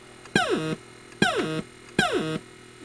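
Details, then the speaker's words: Atari Asteroids multi-game arcade board, in-game: thrust silent, explosions come out as three falling zaps ending in harsh buzzy tails and repeating digital clicks instead of clean blasts; fault believed in the game board's sound circuit, not confirmed. "no thrust no explosions but explosions sounding different and now sounds like a digital uh I don't know what you call it repeating clicks H"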